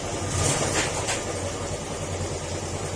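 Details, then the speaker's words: Yamaha Sporty scooter, stock, not hopped-up, formerly quiet: loose rattly clatter about three beats a second over low idle, louder than normal; battery also not charging; crankshaft problem suspected, engine to be torn down. "an pansin niyo yung tunog ng makina kalampag siya bukod d sa tunog ng tambutso"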